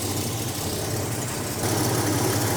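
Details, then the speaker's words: 1987 Buick Regal Turbo T not driven in years, first start: an uneven, lumpy idle that picks up when revved but never smooths out. It runs rough, possibly from vacuum leaks. "alright she started now is it gonna stay running don't sound the greatest but it does run"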